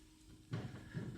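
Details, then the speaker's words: 2003 Toyota Tacoma steering check, wheel rocked at 3 and 9 o'clock: two dull low clunks from huge play in the outer tie rod end ball joint; wheel bearing had no play. "there is huge play and in this case we are talking about outer TI rod or Tyro end"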